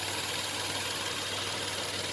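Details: Nissan March at idle after greasing the belt area to cure a squealing front-of-engine drive belt noise; steady, even idle with only a soft hiss and no squeal or chirp; normal idle after fix.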